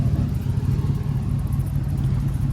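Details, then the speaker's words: Chevy cateye crew cab truck with LQ9 6.0 V8 swap, warm idle: rough puffing chuff on each firing pulse from the slip joint, held by a cheap bent U-bolt clamp; exhaust leak. "The an exhaust clamp, but it's one of those cheap metal ones with a like a U-bolt that's bent and those don't really work that good. So, you can kind of hear it does have a leak."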